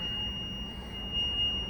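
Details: Country Coach motorhome with a Detroit Diesel 6V92: a piercing high tone sounds nonstop over engine and road drone for about 20 miles while temperatures read normal; overheat alarm, cause not confirmed.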